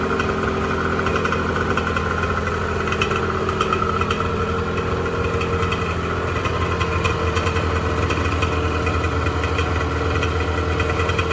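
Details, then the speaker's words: 1986 Honda NS400R 400cc two-stroke triple after 11 months standing, run on choke to empty the carbs for storage: steady, buzzy idle with slight unevenness creeping in as it starts to starve of fuel; fuel starvation on choke. "run on choke for a minute get the last of the fuel out of those carbs"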